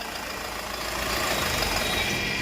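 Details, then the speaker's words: Land Rover Freelander at idle after fitting a new V-belt tensioner: an even, steady hum with no squeal, chirp or rattle from the belt drive. Smooth and quiet after the repair. "यह देखो, कोई आवाज नहीं है। . बहुत चिकना।"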